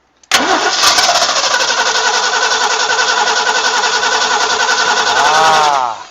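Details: Barn-find 1960 Ford Falcon Ranchero, abandoned, start attempt after adding coolant: the starter churns steadily for about five seconds with no firing, slowing at the end. Crank, no start; fuel bowl possibly not filling, suspected.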